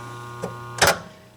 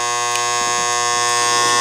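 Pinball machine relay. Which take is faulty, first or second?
second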